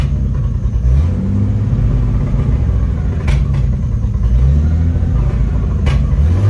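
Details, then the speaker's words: 1975 GMC Sierra Heavy Half squarebody V8, first key start after 20 years sitting: lumpy low idle with occasional backfire pops that levels out with light throttle; owner suspects the idle is set too low. "backp you hear that maybe I just need to turn my idle up a little bit cuz when I keep my foot feathered onto the gas it levels out"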